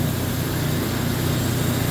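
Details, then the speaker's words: Restored Rock's 14-inch lapidary saw, freshly line-bored bearing, hanging weight dragging the vise and rock through the blade during a cut; steady low hum, even unbroken drone, no knocks or chatter; extremely smooth normal cutting operation. "as the weight pulls the vise through the saw blade with that rock on it. Okay, this saw is an extremely smooth cutting saw."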